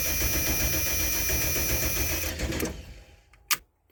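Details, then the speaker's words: 1995 Ford F-250 4x4 plow truck, fresh gas added, about 40°F; starter cranks evenly at about four beats a second, never catches even on ether, then stops with a click; no spark, ignition problem. "let's see if she starts no okay we have an ignition problem the diagnose a 95 F-350 with no spark"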